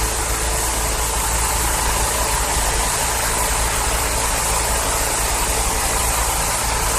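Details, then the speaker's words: 2012 Yard Machines 11A-A54R729 21-inch push mower, Briggs & Stratton 158cc 500 series engine, curbside find unused for years, after new carburettor and tune-up, cold start with primer; started third pull, steady even buzz without misses or surging. "Awesome. Like the third pull started right up. Great. A good save there."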